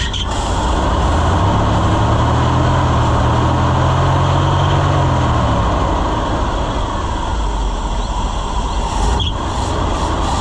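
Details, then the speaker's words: Chevrolet C65 grain truck with freshly rebuilt carburetor, air filter off: a short smooth rev, then settles back to a steady low rumble with no misfire or backfire. Normal running. "but I think we got her, friends. She's running pretty good."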